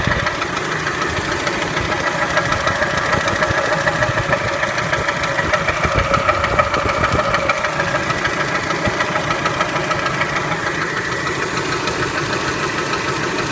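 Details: Spectra engine idling: a fairly regular knock at about three per second runs steadily over the idle. It is an idle engine knock of unknown cause.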